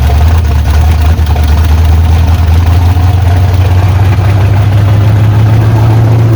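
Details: 1986 Chevy Silverado with 5.7 350 Vortec V8 after camshaft swap to run the stock mechanical fuel pump, first start: steady deep even idle with smooth low rumble, no knocks or stumbles; runs and pumps fuel, normal idle.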